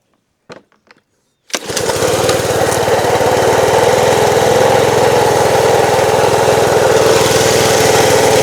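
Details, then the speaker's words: Small pressure washer engine (not the 2003 BMW 325i), fuel open, choke on: drones hard at three to four pulses a second, bogging, unhappy; owner suspects unloader valve not relieving pump pressure. "Well, she ain't happy. One more time."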